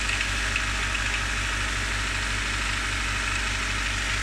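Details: Honda D15Z6 engine at cold idle: a light, uneven tapping over a steady hum. The cold-start knock fades after about 30 seconds of running; its cause is unknown.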